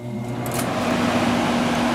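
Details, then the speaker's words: Window air conditioner with bad low-speed fan motor winding (relay clicks, motor problem; owner later suspects connection or continuity issue): steady even whoosh of air with low motor hum, fan running smoothly on high speed. "So it works on high."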